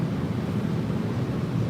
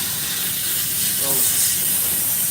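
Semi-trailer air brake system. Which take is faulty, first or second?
second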